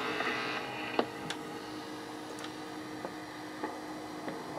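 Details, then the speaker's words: 1960 Telectro MR511B reel tape recorder on a 9 V battery, crystal mic recording: steady low buzz under faint clicks, mains hum from a nearby fluorescent light picked up through the unshielded mic cord. "thing number two buzzing sound the buzzing is courtesy of the fluorescent light nearby with this this just wrapped cord here it's not shielded at all so they're picking up hum"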